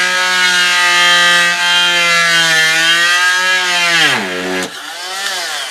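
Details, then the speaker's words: Slotting hinge recesses in RagWing Heath tail feathers with a blade just under 1/16 inch: a steady high tool whine drops sharply in pitch as the cutter bites and grabs in the wood slot, pulling the machine, then recovers. "When you hear it do that, what happens is it bites and the whole machine starts going, and I just pull it out because it'll just start making a mess."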